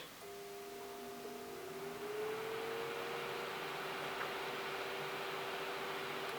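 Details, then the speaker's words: BT Fan CT4B25 25 mm cooling fan for an indoor grow LED panel: a soft tone rising briefly as it spins up, then settling to a very quiet, even whir. Normal quiet fan running. "Se siente, es muy silencioso."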